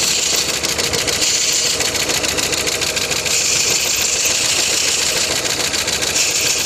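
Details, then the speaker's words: Opel Vectra 1.8 16v petrol engine, driven hard on the autobahn without oil, gives a sharp, uneven knock of about three or four beats a second over the idle; piston rings suspected, cause unconfirmed. "Покани какой Клапан поршня. Ну не, не дырка, а кольца, скорее всего."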